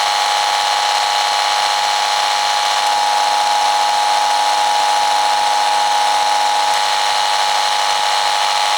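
Steady harsh hiss with a fixed high buzz tone running throughout, no rhythm; electrical noise on the mains picked up by the tester.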